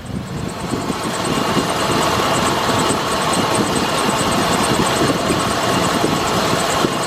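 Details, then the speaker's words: 2007 Chevy Express 3500 van V8 idling warm after running about 20–30 minutes following the Motor Medic treatment, before the final oil change: an even, steady drone with only a faint injector-type tick. The earlier lifter rattle is gone; normal idle. "Yeah, no lifter tick, no nothing. I was really surprised this came back. Because this, I mean, you heard in the first video, she was rattling."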